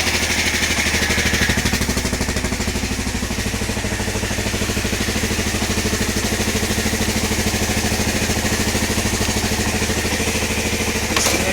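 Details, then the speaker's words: 1993 Kawasaki KLR650 first start after head gasket and timing chain work, in neutral, run about a minute: steady even single-cylinder thump at a settled idle, no knocks or rattles; running healthy. "Let's give it a shot. Aha. Sounds good. So far, only ran for about a minute so far."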